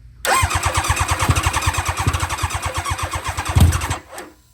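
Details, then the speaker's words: Barn-find championship NOS nitrous Hayabusa being revived, started from a tiring starter box: sluggish cranking pulses about seven or eight a second for four seconds, then stops without firing; slow cranking, no start. "Oh my gosh. Starter box. We'll have to give her a few minutes."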